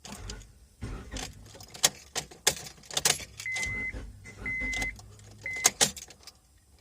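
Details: 2005 Honda Civic, key turned: only scattered clicks and rattles with no cranking at all. The starter was first suspected, but the cause was a bad, weak battery unable to spin the starter.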